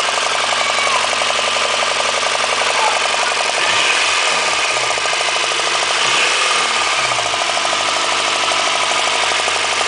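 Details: Honda engine idling with an uneven, fairly quick knock over a bright, busy top end; the owner suspects rod knock, but the rhythm is irregular; cause unconfirmed.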